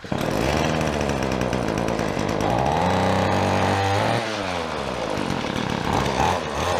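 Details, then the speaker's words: Whipper snipper rebuilt from two broken ones: buzzy two-stroke note climbs cleanly, holds high revs and drops back, runs and revs normally. "She's a runner. She goes pretty good. She revs pretty well."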